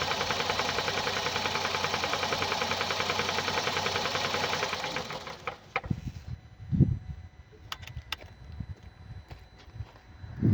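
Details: 2017 Hyundai i30 (PDE) 2.0 petrol G3LS, 88 kW, 77,160 km: fast, fairly even light ticking about 3.5 per second over idle, then engine shuts off; valve train tick from suspected defective hydraulic lifters.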